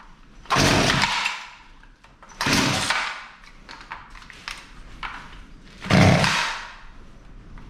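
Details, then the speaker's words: Poulan Pro P3416 34cc 16-inch gas chainsaw found abandoned, new spark plug fitted, choke in: revs swell then sag in three bursts; owner suspects too much fuel choking it, so the H carb screw is adjusted. Bogging. "well it wants to run i think it's actually getting a little too much fuel here so right here we're going to turn that hyper screw in just seems to be getting choked out let's try that"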